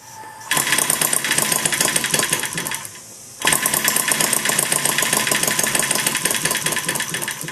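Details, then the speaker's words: Maier TA4 four-cylinder during tuneup: fast, rattly buzzing that cuts out briefly then picks up, firing on only two of four cylinders; may need richening. "it'll it'll almost run on two cylinders and it's running on two cylinders and you can get it to run on two cylinders you know those two cylinders are adjusted well"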